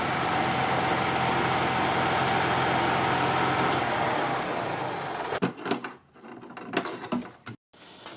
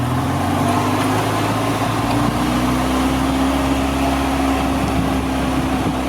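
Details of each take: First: 2002 EZGO TXT gas golf cart running during a charging-system check, charging over 14 V but under 16 V: steady, even single-cylinder drone for five seconds before cutting off, runs smoothly with nothing abnormal. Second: 2002 EZGO TXT gas golf cart, complaint that it won't go 15, on a GPS speed test: under wind noise the engine holds a high steady drone without the foot moving; the governor cable from rear governor to throttle body is stuck.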